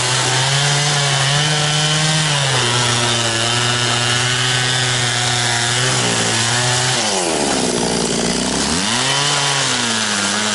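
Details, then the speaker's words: Very high-hour Echo CS-670 chainsaw cutting with a chain that cuts a little slower but stretches less: steady high howl sags as the chain bites and recovers; pulls strongly, cuts efficiently. "does pretty good and like I said a little bit slower but it doesn't seem to stretch the chain quite as much and it still cuts pretty efficiently"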